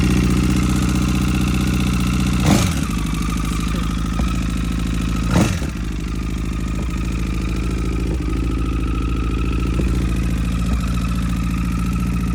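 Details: 2009 Honda CBR1000RR first start-up just after replacing rod and journal bearings: steady high whine and a light irregular tick over the idle, with sharp backfire pops a few seconds apart; cause not yet found.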